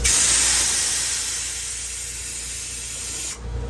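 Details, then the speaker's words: Toyota 3.4L V6 5VZ-FE cylinder head, water jacket pressurized to almost 50 psi: steady sharp hiss slowly easing; number three cylinder leaks past intake and exhaust valve seats where the crack extends; cracked head, head rejected. "you could see that number three cylinder leaking yep leaking like a sieve that's right where that crack was extending down past the valve seat that one is doing from both sides from the intake seat and the exhaust seat"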